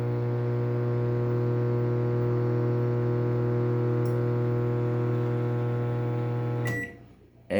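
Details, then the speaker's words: Panasonic microwave, harsh loud steady buzz for about seven seconds, not heating, burning smell; faulty magnetron/shorted part suspected. "horrível o barulho né parece assim que tá parece assim que vai pegar fogo inclusive ó até deu o cheiro de queimado aqui"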